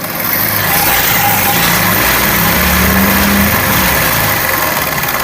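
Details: Honda CD70-type single-cylinder motorcycle at idle: busy metallic rattle and clatter over the exhaust beat from a worn timing chain, still noisy despite chain replacement two months earlier.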